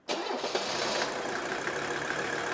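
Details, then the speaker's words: Mercedes 300D OM617 turbo diesel, first start in shop after rebuilt, balanced injectors and valve adjustment: catches and runs unevenly with ragged, stumbling idle from air trapped in injector lines, then smooths out. "now it's first time starting and it probably run a little rough but let's see how this moves out"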